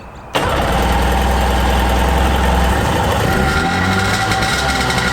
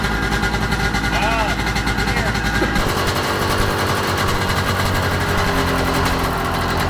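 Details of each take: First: 1995 Sea-Doo GTX two-stroke on a water hose, started with choke after a manifold-to-pipe exhaust leak repair with new gaskets: it catches quickly into a steady, even run with no misses. It runs well. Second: 1995 Sea-Doo GTX two-stroke running on a flush water hose: rough running with a raspy, chuffing puff on the exhaust pulses from a leak between the exhaust manifold and pipe, later fixed with new gaskets and RTV. Exhaust leak.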